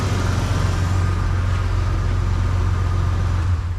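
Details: 1990s Ford Explorer/Ranger after fixing a large vacuum leak found by smoke test, previously needed starting fluid: starts on the key, low even idle rumble with no stumble or surging; normal idle.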